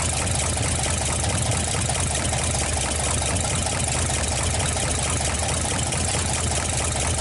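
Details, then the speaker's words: GMC 305 V6 after first start in years: even idle with a light, fast tick over the engine beat; owner expects valve adjustment needed, cause unconfirmed. "I think it's gonna turn out really well I am probably gonna have to do some valve adjustment and few other things"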